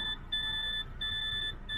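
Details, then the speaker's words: DAF XF with MX-13 engine, just started in the cab with air pressure too low: steady high-pitched beeps about two-thirds of a second on, repeating, the dash engine malfunction warning before diagnostics. "nothing just the engine warning light ah there you go engine malfunction"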